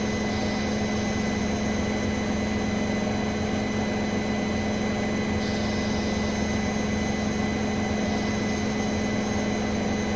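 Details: Brand-new Bosch Serie 4 WAN28281GB washing machine on its final balanced spin: a steady high-pitched squeal over an even rumble; the seal is clear of the drum, and the owner wonders about bearings, belt or suspension; unconfirmed.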